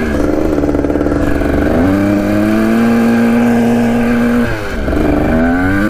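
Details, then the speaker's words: 1980 Kawasaki KDX 175 two-stroke dirt bike, first road ride after mouse nest was sucked into intake: buzz rises and falls with thin ragged edge under load; rider says it sounds weird and lean. "here sounds pretty weird she was sounding pretty lean on that run"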